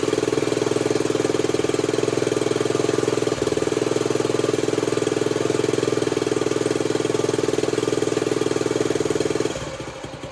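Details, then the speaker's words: Honda CT90 (Trail 90) with a stock engine, after a full restoration and new wiring harness, started on barely any fuel after it seemed flooded: even single-cylinder putter, no misses or knocks, before shutting off; nice steady idle. "Idle's nice. Oh yeah. She's ready."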